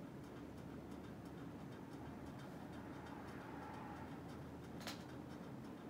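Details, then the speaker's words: NuTone Hug-The-Ceiling Hugger 52-inch ceiling fan on high speed: steady whooshing hum with faint evenly spaced light ticking; unexplained noise, owner unsure if present when earlier tested. "i don't remember if it was making this noise on the high street when i tested it"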